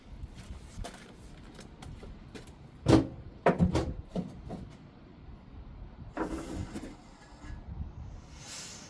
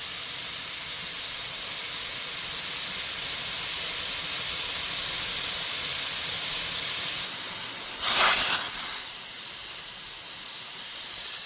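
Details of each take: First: Fifth-wheel slider air switch operated after repairing the dashboard air valves: a couple of soft pneumatic thumps and a short hiss as the locking teeth pop out; release now working. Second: Truck after re-piping the differential lock air feed under the dashboard, building air pressure: loud steady hiss that surges briefly as an air line blew off its untightened fitting, olive not crushed; air alarm triggered.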